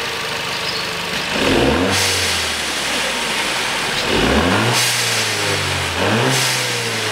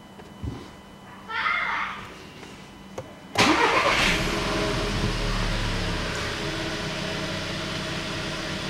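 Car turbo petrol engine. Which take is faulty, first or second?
first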